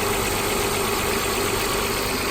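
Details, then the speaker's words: Copart auction car with 95,000 miles, jump started, microphone near the engine; even, steady idle with a smooth hum and no ticking, knocking or stumbles, no dash lights; normal idle. "quiet. Purrs like a kitten. Power steering feels good."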